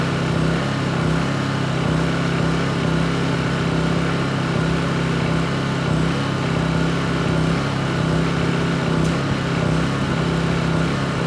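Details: Honda EU2200i inverter generator, brand new just unboxed, running during a fuel-shutoff test: smooth even hum at constant speed, steady low tone, no knocks or misses; healthy.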